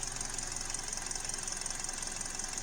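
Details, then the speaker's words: 2012 Hyundai Elantra with codes P0301–P0303 at quiet idle, customer says plugs are new: hiss with an uneven, stumbling beat and dropped pulses; the misfire moved to cylinder 1. "I'm on cylinder number 1 and we actually caught it happening. See if we can catch it again. It's not as pronounced on this cylinder."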